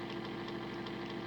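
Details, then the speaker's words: Small DC motor in homemade decoder tester at 50% throttle, about one amp: harsh gritty buzz, steady mid whine, ragged crackle; arcing inside, owner guesses motor cooked and causing decoders to short. "oh jeez it dropped man that motor sounds terrible oh she's arcing inside so i'm guessing that the motor's cooked"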